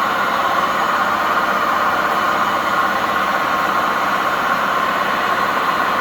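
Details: Old washing machine with poor suspension during spin: loud, steady roar and hiss with no clear rhythm, from worn-out drum bearings.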